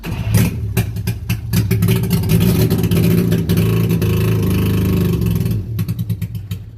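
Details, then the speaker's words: Carbureted engine with no accelerator pump, choke on, after firing briefly on starting fluid: rhythmic starter chugging about three beats a second that never catches; no fuel reaching the filter, pump or carburetor, traced to a fuel filter leaking at the clamp, possibly also low tank. "We got no fuel. No fuel getting up to the pump, to the carburetor. We got no fuel in our filter here."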